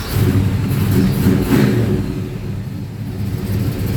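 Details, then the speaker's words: Holden HQ sedan with a small-block Chevy V8 after the carburetor was replaced to fix a fuelling misfire: steady, even V8 rumble with a clean rev and settle, no stumble or skipped beats; runs smoothly and slightly rich at idle. "better much better I know is running um nice and Rich at idle"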